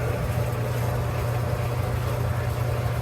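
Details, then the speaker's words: Clothes dryer after squeal repair, with stainless flat washers added and the front panel still off. Steady low drum rumble with no squeal or thumping; it runs quietly. "Hey, sounds pretty good. Sounds pretty good."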